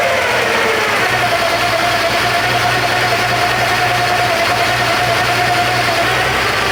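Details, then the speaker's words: Porsche 928 V8 idling with all auxiliary belts removed: steady mid-pitched whine holding level, unchanged without belts. "okay trying to track down this whining noise so I've stripped off all the belts run the engine no change"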